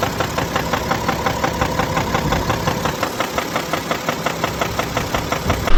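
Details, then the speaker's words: BMW X5 F15 with N57D30 313 HP diesel at idle, in the owner's clip; sharp regular knocking several times a second, tied to engine speed, from the bottom of the engine; spun main bearings and connecting rod bearing found, i.e. rod bearing knock. "so the issue is a clocking sound inside the engine so we're not sure what is going to be the the case"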